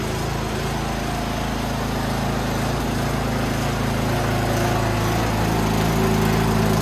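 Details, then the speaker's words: Toro Power Max 824OE snowblower idling steadily after carb rebuild and no-start repair; even low putter with no misses or surging, runs lean on California emissions tuning; normal healthy idle. "and she idols Furious she's a runner runs pretty well too"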